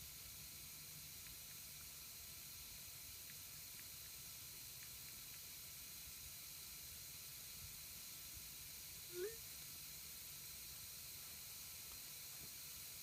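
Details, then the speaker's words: Air compressor converted to silent running, pressure switch spring tightened, charging to 60 before unloading: faint continuous hiss of air escaping from the unloader valve with no rhythm. Unloader valve air leak; it could be tightened further, but it works. "okay basically wit with this with this on moda valve here you can hear the air leak out"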